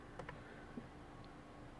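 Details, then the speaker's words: Car AC after replacing recirculation door actuator, switching recirculation and fresh air: steady blower hum with faint soft ticks, no noise from under dash; old actuator had been making noises. "No sounds coming from under the dash."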